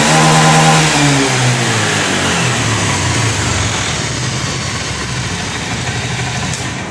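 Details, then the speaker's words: Honda Scoopy injection automatic scooter after cleaning a dirty injector, which had caused rough running and stalling when throttled: engine rises cleanly from idle through a smooth rev and settles back without stumbling; problem fixed. "oke permasalahan sudah selesai"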